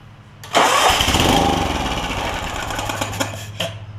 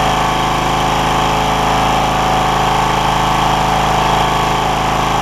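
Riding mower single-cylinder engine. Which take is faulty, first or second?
first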